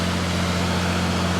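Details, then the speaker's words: 3rd-gen Dodge Ram 5.9 Cummins diesel, idle raised with throttle pinned, electronic cooling fan switched on via a battery-ground test switch: the fan engages after a slight delay and its speed climbs about 200 RPM. Steady drone, firm whoosh, fan clutch engaged normally. "You hear the RPM picking up on the fan. about 200 RPM."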